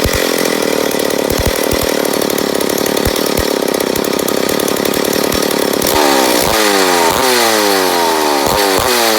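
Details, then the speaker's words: McCulloch Pro Mac 850 chainsaw, first start after rebuild, with fuel/air mixture being adjusted: uneven surging pulses, then a rising, wavering rev that won't hold steady; an air leak is suspected, probably on the flywheel side. "but there's a first fire so I know we got a little bit of air leak I'm a guess on the flywheel side"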